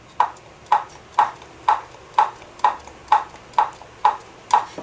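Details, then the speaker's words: Brastemp/Consul washing machine gearbox (new reference unit), pulley rocked back and forth by hand: light even clicks about twice a second, normal; a louder, drier clicking would suggest a gearbox leaked dry of oil. "normal somente o câmbio fiz questão de pegar um câmbio novo e repetimos se por acaso o barulho tiver maior acentuado Pode ser que a caixa esteja seca tenha vazado o óleo e ela tá com barulho seco"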